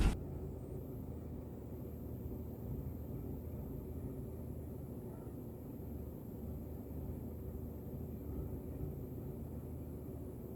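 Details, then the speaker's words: 2000 Toyota Camry 2.2L 5S-FE petrol four-cylinder, started after three weeks sitting, gas pumped; low uneven idle rumble with irregular stumble as it misfires at very low revs, fuel smell; cause unknown. "Not having the shaking too bad. And here's where the misfire happens when it's like really low."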